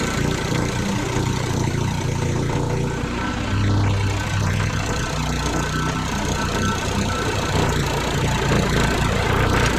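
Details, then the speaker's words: Rebuilt small lawn mower engine run on high, rod noisy at assembly: loose, uneven knock under the exhaust; suspected loose connecting rod, not confirmed. "Yeah, we got a little trouble. I think that knocking is that connecting rod. Yeah, you hear that talking? That ain't going to last long. That connection rod too loose."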